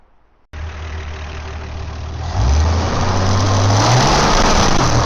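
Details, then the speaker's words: Barn-find 53-year-old Slant 6 with original accelerator pump, after adjusting idle jet: engine catches and settles into a steady, even idle, then revs smoothly without stumbling; smooth running. "And it all of a sudden just came alive and just boom, like smooth running slant 6."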